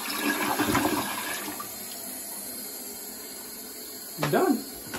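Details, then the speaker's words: Toilet test flush after the fill/float valve was replaced, having been making a weird noise and raising the water bill: rushing flush, then a quiet, steady refill that stops with no squeal or whistle. Fill valve works normally. "okay that water was already there so we're just gonna wait for that to fill up and we're gonna do a test flush there you go it stopped and it's not squealing boom"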